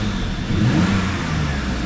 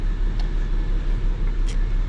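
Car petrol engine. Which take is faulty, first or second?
second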